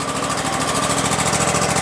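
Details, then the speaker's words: About 2016 Exmark Lazer E-Series 60-inch mower with a 27 hp Kohler engine, roughly 3,800 hours and a flooding carburetor, started on choke at half throttle: even, steady idle; brief smoke clears; a knock is heard when throttle is added afterward. "it's running half throttle i see some smoke coming out that's not normal it's idling it's actually idling you guys all right smoke is going away"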